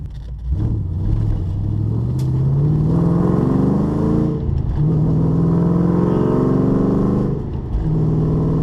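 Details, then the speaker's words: Mustang with a stock-ish engine, new tune and aluminium flywheel on its first test drive. The engine pulls cleanly up through the revs, drops on each shift and climbs again, smooth and even with no knock; sounds healthy. "sounds good revs good feels good goes through the gears"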